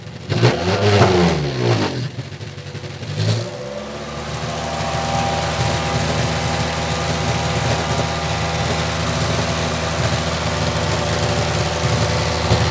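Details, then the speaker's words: 2006 Toyota Matrix 4WD, exhaust replaced forward of the muffler within two years: revs twice then steady idle with a dull, choked exhaust note from the rear; owner suspects muffler internals disintegrating and blocking, with a possible leak at the muffler clamp joint. "I'm wondering if something has started to disintegrate inside the muffler because it almost sounds like there's a blockage."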